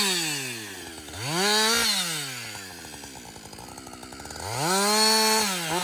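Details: Husqvarna 562XP chainsaw back from the shop after a software reflash for dying when hot and not starting; it climbs cleanly to full revs, holds pitch in the cut, then drops to a smooth idle. It runs normally through its first full tank.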